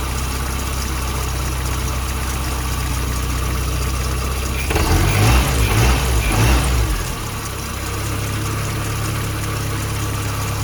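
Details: Supercharged Toyota 22RE after bypass valve fix, with hard piping and crush-proof couplers replacing silicone tubes that sucked closed and caused rich running: steady, even idle with one brief rev and smooth settle, no intake sucking or wheezing; normal idle.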